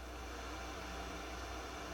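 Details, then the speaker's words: Harman Kardon 75+ receiver before overhaul, phono input with nothing playing: steady airy hiss plus some hum, scratchy volume control; phono input noisier than it should be. "quite noisy volume's a little scratchy trebles clean base is clean got some hum there so that's with no input"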